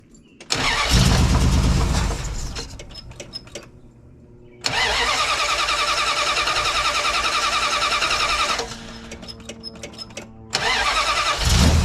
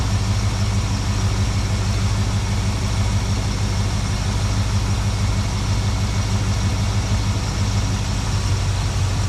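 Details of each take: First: 1972 Plymouth Valiant, 318 V8 (was slant six), Holley 600 carburettor after rebuild, outside in hot weather: fires after a few cranks, loud lumpy uneven idle; runs richer, blamed on the wrong primary metering block gasket. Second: 1972 Plymouth Valiant 318 V8, Holley 600 four-barrel refitted after fixing a rich-running fault: deep, even idle with a steady unhurried rumble, no stumbles or misses, much better than before.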